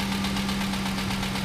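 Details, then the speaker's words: 2008-2011 Ford Expedition 5.4L 3-valve V8, about 190,000 miles, at idle; steady quick knocking tap over engine hum, sounds like rod knock, engine to be rebuilt: suspected rod knock at idle. "all right if you can hear that tapping definitely sounds like rodnock"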